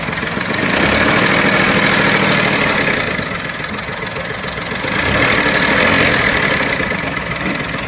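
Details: Volkswagen Polo 7 engine at idle: regular tap about three or four times a second over a swelling hum; abnormal engine noise, cause not pinned down.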